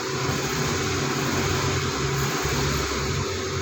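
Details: Suzuki DA64 with the K6A engine, idling with the check engine light on. An uneven, stumbling beat that drops out now and then is a misfire stored against cylinder 1, possibly from the coil or spark plug.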